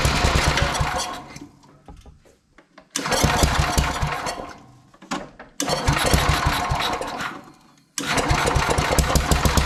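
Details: Sears Suburban 12 lawn tractor with a Tecumseh 12hp single-cylinder engine, barn-stored five or six years, after rewiring and fuel tank work: catches and runs in loud bursts, dropping off and picking back up; it starts and runs normally.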